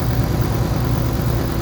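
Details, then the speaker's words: 1984 Honda Gold Wing Standard flat-four, 12,000 miles, after a full chassis restoration with new belts and restored carburetors; steady, even low burble at idle with no misses, knocks or ticks. It smoked heavily at first start but now runs smooth and healthy. "but the engine itself is running and it runs good sounds good smoked like hell when i first got it going it sounds really good"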